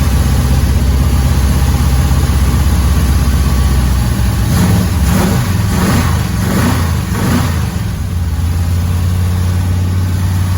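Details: 1981 Chevrolet Camaro Z28 V8 barn find, first start after about 15 years dormant (last registered 2008), fed with carb cleaner and fuel into the carburetor, no oil filter fitted yet: loud, lumpy idle with quick throttle blips settling back.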